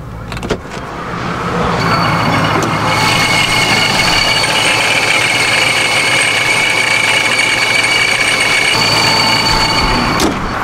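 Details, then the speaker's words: Procharger-supercharged Dodge Scat Pack V8, with the idle raised from a previously very low idle: engine catches and settles into an even, steady idle with only a light, quieter supercharger whine; sounds healthy. "definitely made it quieter and I think one of the reasons why mine was louder than most of them because my idol was super low before"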